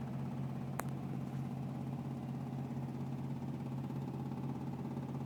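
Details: 1984 Camaro, intermittent ticking at start and while driving, whether engine hot or cold: steady idle with a light, quick, slightly uneven tick about twice a second; source undetermined.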